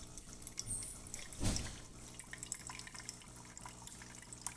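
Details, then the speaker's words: DeLonghi Eletta Explore espresso machine after shop service, including brew-unit micro switch work, during startup: brew unit returns to home position and rinse begins, with quiet water trickle and drip over a soft low pump hum; working normally. "Now it's going to retract back in the home position. It's going to start rinsing."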